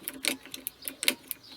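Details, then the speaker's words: Qualcast electric lawnmower not working: pressing the button and pulling the lever gives only dry switch clicks with no motor hum; wire test points to a broken wire in the power cable. "you can hear it clicking but not doing anything."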